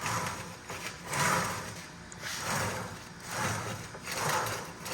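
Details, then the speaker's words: Mazdaspeed Miata rear differential on the bench, rebuilt badly by another shop, leaking and noisy, 4 thousandths measured: gritty whirring grind swelling and fading about every 1.5 seconds as it is spun; gear set suspected shot, used bearing found on teardown. "But honestly, I think the gear set shot in this thing because of the way it sounds, and I'm going to go ahead and spin it here, and so we can hear what it sounds like."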